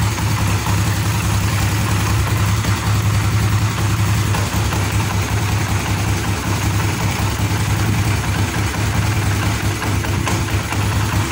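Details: Honda CB150R/Sonic/Supra GTR-type engine after setting camshaft top timing and refitting: steady low thrum at idle, even beat with no tapping, misses or hunting. Normal idle.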